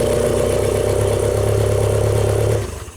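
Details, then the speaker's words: 1992 Genie boom lift engine, not run in two years, battery charger on: runs at an even idle about two and a half seconds, then abruptly dies as ignition coil power cuts out; suspected main relay or control-side fault, not confirmed. "so it just cuts power to the ignition coil Cuts power to everything actually so it's a main relay"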